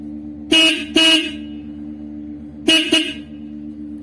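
Two pairs of short, loud horn blasts with a steady, clear mid-pitched tone that starts and stops cleanly. The horn sounds normal.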